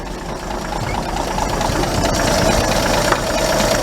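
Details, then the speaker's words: Truck engine idling after refitted intake and exhaust manifolds to cure leaks, new exhaust pipe and muffler; even steady quiet idle with no knocks or rattles, oil pressure up, running smoothly. "this engine's quiet now you can't hear it but it's mechanical music"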